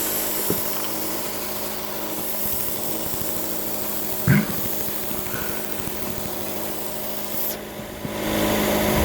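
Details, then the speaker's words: Chrysler 200 idling very high with throttle light and check engine light (P2172 high idle), towed in from another shop; strong sucking hiss from a vacuum leak at a nipple on the recently replaced throttle body, hose missing. "all right man uh as you can see uh there was a vacuum leak at that nipple on this throttle body which has just been replaced i was told okay"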